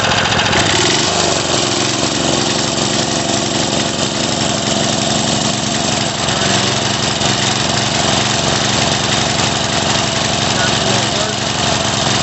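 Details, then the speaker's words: Craftsman 3.5 hp edger/trimmer that starts then stops, revved: small engine held at high revs but surging and stumbling unevenly; partly blocked carburetor starving it, needing disassembly and cleaning. "And I revved it up and was able to keep running, but it wasn't smooth. So what that tells me is there's just a little bit of a blockage in there, so we do got to take it apart and take a look."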